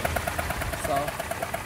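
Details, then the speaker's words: Customer car left by another mechanic with a supposedly stripped spark plug hole at cylinder eight: sharp rapid ticking about nine a second over a rough idle, like a misfire or plug leaking compression; cause suspected, not confirmed. "so I guess she took it to another guy and she left with her car sounding like this it supposedly have a stripped out spark BL hole or number eight right here"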